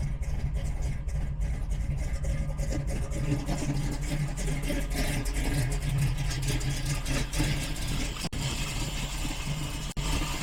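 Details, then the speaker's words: V8 with big performance cam, just converted to Killshot Fusion fuel injection, first start after priming: deep, choppy idle with uneven loping beat, steady without stalling or misfire; lumpy idle is normal from the cam. "Fires right up, and it does have a big meaty cam in there, so it does run like that."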